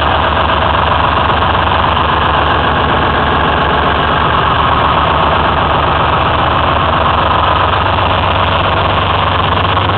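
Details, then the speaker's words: Detroit Diesel 6V53 in a 2004 Ford F-350 with Allison MT-653 automatic, after a rebuilt blower install: loud, even two-stroke diesel clatter holding steady with no misses, surges or knocks; running healthy. "and there you have it running once again"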